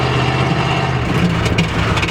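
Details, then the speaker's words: Chrysler Cordoba sleeper after its overheating fix: the exhaust popped at the top of first gear at full throttle, now dragging on the ground, giving a loud, deep, raw rumble much rougher than the intact system. "I think I broke the exhaust. I was running through the gears and it popped."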